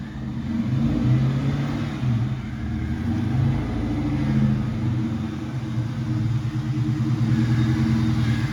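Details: 2001 Mustang GT Bullitt running with a horrific noise: deep, uneven rumble with rough churning undertone; the broken, loose starter drive is still dragging on the flywheel; starter drive not disengaging.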